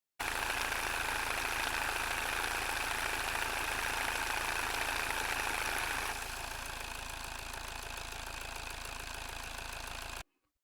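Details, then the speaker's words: Car manual transmission running with oil level low from a leak: rapid regular rattling three to four per second with gritty high whine; gear teeth striking each other from insufficient oil. "pode ser que no engrenamento aqui entre as engrenagens acabe gerando choques Entre esses dentes das engrenagens e ingere esse ruído que vocês escutaram agora"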